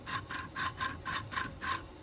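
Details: Worn rear differential coupler bearing from a Toyota RAV4 (AWD), replacement failed after two to three years and caused loud whining, spun back and forth by hand: gritty, rasping grind in seven quick bursts; rough, worn-out bearing.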